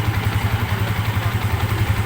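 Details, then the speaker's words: Sniper 150 engine first start after rebuild with new timing chain, intake valve, rocker arm, water seal, bearings and piston; steady, even low idle thump with clutch pulled in, no clatter or knock, now quieter and normal. "Ayan oh. Mas tumahik. So yan nadali na natin mga bossing. Ayan oh naman normal na RM"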